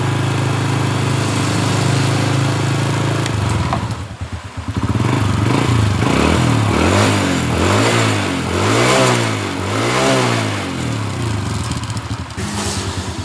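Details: 2007 Honda Supra Fit New, earlier rough 'kletek' rattle around the cylinder head that is usually the cam chain, after reassembly with fresh oil: single-cylinder idles with a steady low thump and even rev blips, no rattle. Normal idle.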